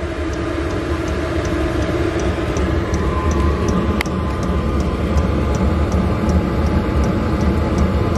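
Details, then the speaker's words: 8 kW 12 V diesel air heater in a Bayliner 2455 Ciera boat after running a while: steady roar with light fuel-pump tick about three times a second, plate warm but not burning; normal running. "it's been running for a while it's definitely the plate is warm but it doesn't like it won't burn you to touch it that's working okay"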